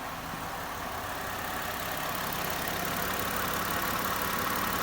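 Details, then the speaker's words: 2010 Ford Fusion just after throttle body replacement for rough running and stalling, first start, check engine light still on: smooth, even idle with a quiet steady hum, no knocks or misses; engine settles and runs cleanly. "so I'm in the car uh about to fire it up started up okay"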